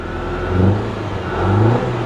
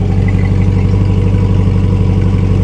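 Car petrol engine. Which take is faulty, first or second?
first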